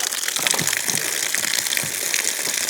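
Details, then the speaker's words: Shallow well pump outside water line to camp, just primed in spring: rushing water broken by irregular gurgling spurts as trapped air burps out, then some brown water before running good. Air in water line. "There we go. Some air coming out of the water."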